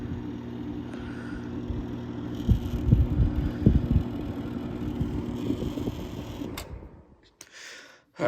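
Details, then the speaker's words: 1983 Gibson SlumberMaster window air conditioner (R22, 5900 BTU, 730 W) on fan-only low with the grille off: soft steady low fan hum with a few light handling clunks. Normal, quiet, even low-speed running. "so we're on fed only this is low fan it's very quiet air conditioner"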